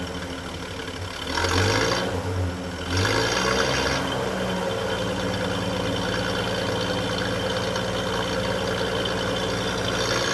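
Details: 1946 Chevrolet truck Stovebolt 216 inline six, original 6-volt system, warming up after cold start following nearly a month sitting; a couple of brief revs then steady even low idle, no misses or knocks; normal idle.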